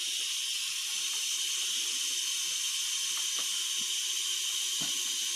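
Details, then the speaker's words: John Deere G100 mower engine, not running, during a cylinder leak-down test: constant high, airy hiss from a worn fitting on the leak-down tester, while compressed air holds the valve shut and compression looks good. "so you can probably hear this hissing a little bit this is my cylinder leak down checker i need to get a new fitting here that's what the problem is is the fitting where the air is coming out"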